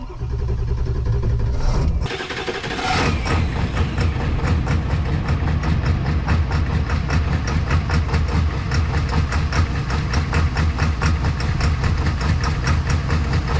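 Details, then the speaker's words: Tuned 7.3 Powerstroke diesel cold start: after a short crank it catches into a loud, fast, even clatter over a rough cold idle; owner suspects cold-start knock. "this here with a little less uh timing in that cold start it's really popping today that sounds like a sparknot"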